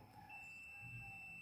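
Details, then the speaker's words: Multimeter continuity buzzer beeps steadily across the ground and positive pins of a used Honda Vario 125/150 ECU, showing it is internally shorted; the short is blamed for blowing the 25A fuse, and a good ECU shows no continuity there. "Bazernya bunyi terus ya. Nah, apabila buzer bunyi terus ini berarti menandakan nyambung ya, Teman-teman."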